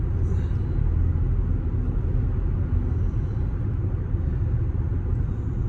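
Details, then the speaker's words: After swapping roaring Cooper Endurance Plus tires for four used Michelin Premier tires, highway speed: steady low road rumble with light wind hiss, no droning tire roar; tires normal and quiet. "I don't know how well it's gonna capture on video, but I hear wind noise and road noise, but not tire roaring like before."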